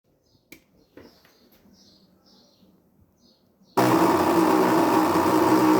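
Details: Anycubic ACE Pro filament feeder not loading filament: a few quiet clicks, then a loud, harsh, continuous grinding with a rough droning undertone.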